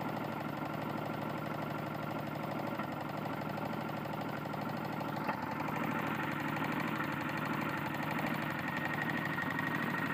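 Small engine running with a rapid, rough knocking of about three per second under the clatter: a bad connecting rod.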